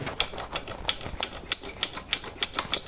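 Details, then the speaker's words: Bianchi Strada road bike during tune-up, with dry bearings and a dirty, unlubricated drivetrain: sharp clicks about three a second with thin high chirping squeaks; squeak gone after lubing, rear derailleur very worn. "Some of that noise. Yikes. There we go. Squeak is gone now."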